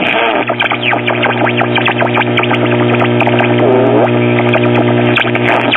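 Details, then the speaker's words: 1937 Philco 37-93 cathedral tube radio, first power-up at about half voltage: loud mains hum under station audio with a thin squeal; hum from bad filter capacitors, bypass capacitors likely also bad (suspected). "we can pretty much be assured right off the bat that the power supply filters are bad that's the reason for the hum and most likely some bypass c"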